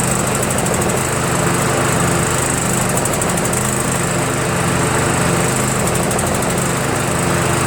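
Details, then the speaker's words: Troy-Bilt lawn tractor, Briggs Intek, Nikki carburetor, before replacement: note rises and falls unevenly, surging, worse under belt load; mixture screw makes no difference, and the owner suspects a jet he drilled out too far. "and then when it's under load from the belt does it even more you know so I've messed with the screw the fuel mixture screw it doesn't really make any difference at all"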